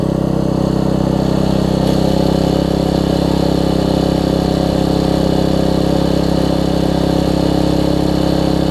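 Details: Troy-Bilt Tuffy rear-tine tiller, 4 hp Briggs single, after fitting replacement carburetor with linkage and spacer, quarter tank of gas: steady, even drone holding speed, no surging, misses or knocks; normal running after repair.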